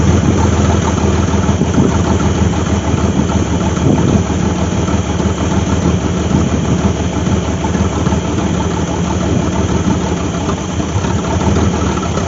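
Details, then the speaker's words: 1998 GMC Sonoma 4.3-litre V6, sat for years in swamp grass, running with the transmission engaged: steady low rumble holds evenly under load and keeps running smoothly; engine and transmission both work. "this is why I stood to the side but I felt the transmission engage we have engine we have transmission"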